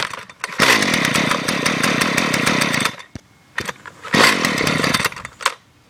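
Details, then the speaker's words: Gas string trimmer running cold in freezing weather, not warmed up: buzzy two-stroke revs up in two bursts with a ragged, uneven idle between them; normal cold running. "Obviously, that's not warmed up. Yeah, it's kind of cold out here, so makes it cold starting, and most of my equipment's not really cold-blooded."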